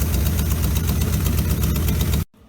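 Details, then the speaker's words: 1957 GMC 370 2-ton truck, original Pontiac 347 V8, 6625 miles, revived after 20 years sitting seized: deep, even V8 idle holding steady on its own before a clean shutdown, steaming as leftover water vaporizes; carburetor still needs a rebuild; normal idle. "Well, it's getting better and better. Even idling on its own. So that's good."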